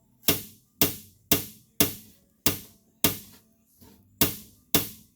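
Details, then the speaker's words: 1956 Plymouth Fury floor pan under the seat track: sharp metallic pops about twice a second when pushed, from two layers of rust-restored metal separated above the frame. Planned fix is screws to pull the layers together. "you can hear that metal popping in there so i think what i'm going to do is that's right above the frame"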